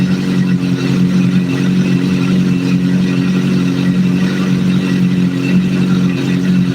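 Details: Four-cylinder idling during a vacuum sync, with cylinder 3 adjusted by screws until the readings are about as close as they will get: a smooth, even idle with a steady low hum, no hunting or stumbling; balanced and healthy.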